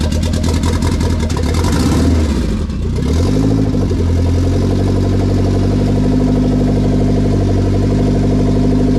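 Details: K20 turbo RHD Honda Civic wagon after its first start, on a startup base map with no radiator fitted: a quick rev that climbs and drops cleanly, then a steady, even idle with no misses; normal idle and free revving.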